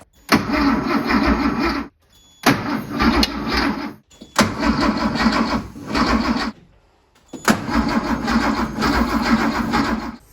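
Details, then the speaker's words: 1973 Porsche 911T, sitting since 1998: crank-no-start, with four cranking bursts of even starter churn that never fire. Spark test showed no spark, so the coil is being swapped to troubleshoot. "I went ahead and got another coil and I'm gonna go ahead and try to swap it on and just kind of troubleshoot spark."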